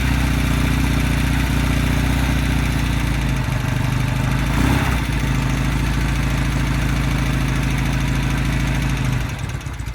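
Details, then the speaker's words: 1969 Norton Commando Fastback parallel twin, just started after winter lay-up with fresh 20-50 oil and healthy oil return: an even, steady low thump ticking over with no knocks or misses. It is a settled, normal idle. "I'm very pleased to say, touch wood, she's running okay."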